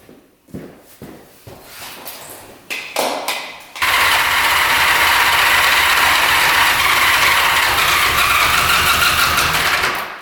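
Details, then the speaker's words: 1975 Honda Goldwing GL1000 stored 25+ years, gas in plug holes: weak cranking bursts then steady hard churn about four beats a second that nearly catches but doesn't; tank outlet clogged, no fuel on reserve or on; fuel starvation no-start. "So it looks like we weren't getting any gas when it's on reserve or on. Just gonna blow through here quick. Seems like it's pretty clogged up here."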